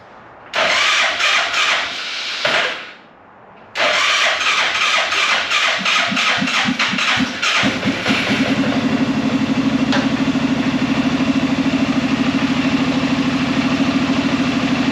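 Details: Arctic Cat Prowler UTV carbureted engine after rebuild with new pots, fuel squirted down carb: two bursts of cranking, catches on second try and settles into steady, even idle around 1,000 with no knocks or misfires; normal idle, cooling system still has air.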